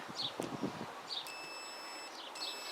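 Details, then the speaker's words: Kymco Agility 125 stator removed from the bike: meter on continuity across the two terminals gives a steady high-pitched tone twice, about a second each, showing the coils shorted together when they shouldn't be. "and we can definitely see they're shorted out and i'm fairly certain they shouldn't be"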